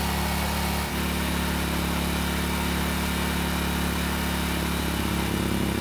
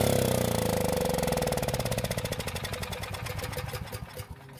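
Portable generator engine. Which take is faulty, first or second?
second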